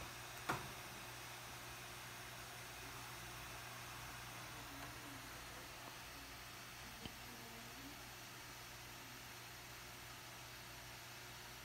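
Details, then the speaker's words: MacBook Pro 13-inch A1708, running very slowly: steady airy fan hiss with low hum, swelling louder midway, fan stuck at full speed. "the problem was it is very slow and as you can hear the fan was too loud"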